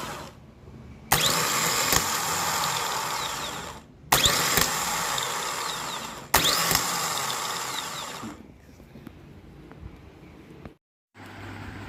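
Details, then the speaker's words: Renault Duster starter motor on bench test before overhaul: three bursts of harsh high whirring spinning free with a dry rasping edge and gritty coast-down, like a shaft turning in a bearing with no grease left. "కాకపోతే ఏంటంటే, self start చేసిన తర్వాత కొంచెం extra sounds వినిపిస్తూ ఉన్నాయి. Like బేరింగ్లో grease పోతే ఎలా ఉంటుందో, బేరింగ్లో గ్రీజ్ లేనప్పుడు దాని మీద షాఫ్ట్ తిరుగుతూ ఉంటే ఆ బేరింగ్ శబ్దం ఎలా వస్తుంది అన్నది బయటికి చాలా క్లియర్గా సౌండ్ వినబడుతూ ఉంది."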